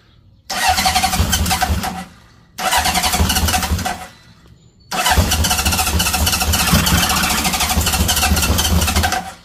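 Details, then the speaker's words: 1978 Honda CB750F Super Sport under restoration, cold first thing in the morning, started on a jump pack with some choke: two short bursts, then it catches and holds a steady, busy cold idle. The oil light goes off, so it has oil pressure; a healthy cold start. "give it a little choke. It is first thing this morning. It's cold."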